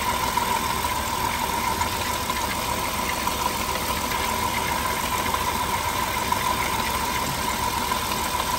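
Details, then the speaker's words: Engine with check-engine light on, idling with cylinder 4 misfiring despite new spark plugs and wires: faint irregular stumble under a steady whine with an occasional dropped beat; a faulty ignition coil for that cylinder is diagnosed. "pero ya detectamos que es la la bobina aquí mira tiene esta bobina es para este cilindro y para el otro cilindro vienen individuales"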